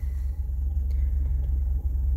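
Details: 1979 Honda Civic 1200, odometer reading 17,000, not a cold start after driving about a mile: deep, steady low rumble with nothing crisp on top. Runs, but a tune-up looks due; a plug or plug wire probably needs replacing.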